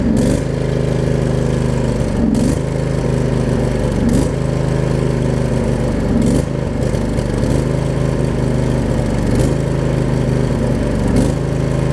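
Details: Craftsman riding mower with Briggs V-twin, after fixing the worn blade-engage mechanism, realigning the shifter and resealing the valve covers: deep, steady V-twin drone at constant speed, smooth and even with no knocks or misses; running normally from cold.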